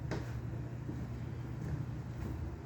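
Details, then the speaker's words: Vintage Norcold mini fridge, believed to date to the 1960s, with a Fuji Electric compressor (tag about 20 V, 40 W, possibly DC, running on AC, possibly through a transformer): quiet, steady low hum without knocks; running normally. "Well, it's been running on. It has an AC plug and it's running just fine on AC."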